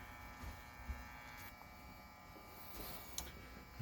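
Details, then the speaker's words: Optoma HD26 DLP projector after repair of loose foam that had rubbed the color wheel and caused squealing: color wheel spins up with a quiet steady hum and faint even whine, no rattle or scraping; normal running. "we should hear the color wheel spin up and it should be happy"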